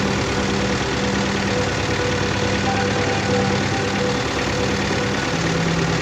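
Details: Diesel engine with low power, black smoke and vibration, idling with a rough, uneven beat and shaking through the block; misfire from a fuel system fault that needs fixing.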